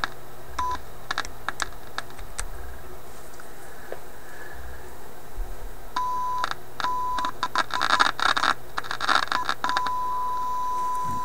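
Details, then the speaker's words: Yugoslavian-built AM/FM/SW tube radio tuned around 640-650 on a test signal: the tone cuts out amid sharp crackles and scratches as the tuning capacitor turns; capacitor bearing first suspected, then plates touching, possibly the last plate. "sounds like plates touching"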